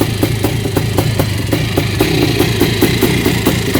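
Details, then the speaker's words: Freshly rebuilt air-cooled Yamaha YZ490 two-stroke idling, burning off assembly oil, owner thinks maybe a little rich: loud, crisp idle, about five even pops a second, steady beat; healthy normal idle. "idle and clean getting rid of some of that excess oil for putting that cylinder on it might be running a little bit rich too this sounds good"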